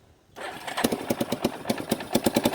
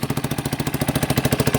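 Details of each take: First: 1989 Yamaha Big Bear 350 single-cylinder ATV, revived after sitting 10+ years, started cold on half choke: a little throttle makes the engine stumble and chug unevenly; it dislikes throttle but idles well. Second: Warm-up idle of a 1989 Yamaha Big Bear 350 ATV revived after sitting 10+ years, on half choke: steady even single-cylinder exhaust pulses, no knocking; possible exhaust leak, won't take throttle yet and backfires when given some.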